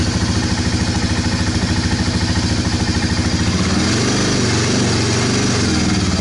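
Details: 1998 Honda FourTrax 300 ATV, cold start after new battery installed, charging 14 volts: steady single-cylinder thump at even idle, a little clatter but no misses or knocks; running normally.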